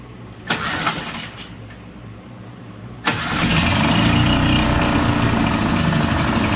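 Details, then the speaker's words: Honda 5 hp four-stroke outboard after a carburettor clean and spark plug check, having previously needed about 10 pulls: it starts in neutral after a short crank and settles into a steady, even idle with no misses, a fixed hard start. "much better than before before it's like 10 4 i guess that's why it takes quite a while"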